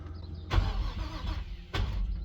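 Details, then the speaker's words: Infiniti G35 after an engine fire, first crank after new alternator and reconnected starter and power wiring: two short bursts of cranking, nothing fires; cranks but does not start, no fuel leaks seen; oil pressure sensor melted. "It tries to turn. Yep, that's all I needed to see right there."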